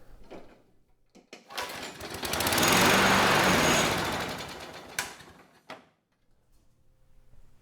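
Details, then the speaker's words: Curbside Craftsman mower 917.376655, Briggs Quantum 122T02 engine, hand-primed, no choke. Catches and runs a few seconds with a ragged firing beat, then fades and quits. Won't stay running; owner suspects fuel level too low for the carb. "Yeah, unfortunately it's not staying running, so we might have to go back in, but now that I look at the level of the fuel, it might actually be a little bit too low."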